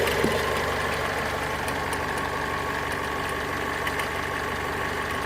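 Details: Mazda 6 MZR-CD 2.2 diesel at idle: light, uneven relay-like clicks a few seconds apart over steady clatter, more frequent with electrical load (lamps, fog lamps) on; owner suspects alternator freewheel/loose pulley, source unconfirmed.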